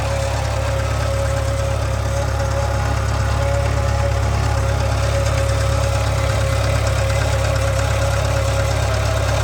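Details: 2013 Subaru 2.0 Boxer at idle: strong low drone with a fairly regular knock about two or three per second; engine knock and hum, source not identified.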